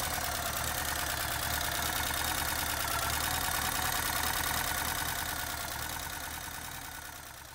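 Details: 1983 Porsche 944, sitting since 2000 after timing belt broke valves, head rebuilt, restarted after reseating cylinder three connector that caused tapping: even steady idle pulse about three beats a second, no tapping or misfire; old oil not yet changed; normal idle.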